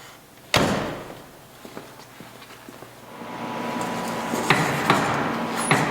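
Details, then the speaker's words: Car on the road before going on the lift: sharp, irregular clunks over road noise. The front crossmember is badly deteriorated and tilted forward, and the front suspension is knocking and feels about to break away. "I'm going to find out what's making that knocking sound and start assessing what our uh game plan is to build this car"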